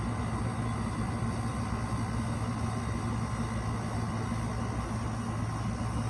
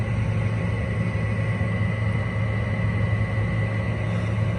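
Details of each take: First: Window air conditioner starting up in a hot, humid garage: steady low compressor hum with an even fan rush and no knocks or rattles while it builds head pressure. Running normally. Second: Window air conditioner running in a hot garage: loud, steady low hum and drone with a rough edge, a little quieter after some use. The fan motor needs bearings or replacing.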